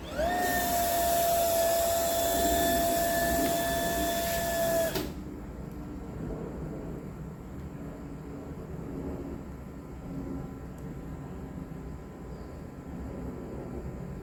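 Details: Household water pump supplying home piping: steady motor hum with constant high whine for about five seconds, then quiet shutoff with no water hammer banging in pipes; normal operation after the water hammering problem was resolved.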